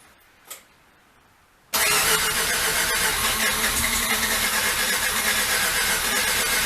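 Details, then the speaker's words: Rotary engine cranking, front eccentric shaft bolt tightened and injector fuse pulled while checking oil pressure: starter turns it at a steady beat but it never fires. Owner doubts spark plugs or fuel are the cause. Crank-no-start, cause unconfirmed. "yes thank you well that's an issue potentially doesn't even want to start"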